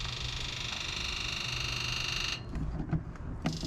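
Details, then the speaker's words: 1999 Ford F250 Super Duty 7.3 Powerstroke diesel, abandoned over six years, key-on engine-off injector self-test: steady electric buzz about two seconds then stops; injectors sound weaker than hoped, cause unknown. "well that's not so great because um we could uh we could have dealt with a little louder injectors than that"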